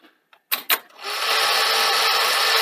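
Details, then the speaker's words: 1982 Sony SL-C6 Betamax recorder, before the belt and idler-tyre service. Eject runs cleanly: a couple of sharp clunks as the loading gear cycles, then a steady motor whir. Tape comes out with no loop left; normal eject. "and that's actually pretty good no loop left"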